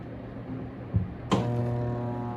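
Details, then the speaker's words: Washing machine wash motor switched on: click then steady low electrical hum, motor only hums and does not turn; stalled motor. "Que el motor de lavado solo ronca, o sea, solo suena, pero no da vuelta."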